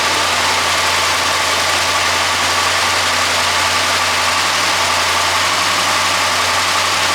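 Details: Engine that had a mysterious popcorn-like rattle, with the water pump replaced unnecessarily during diagnosis. Even, steady idle behind some hiss with no knocks, ticks or rattles: normal idle.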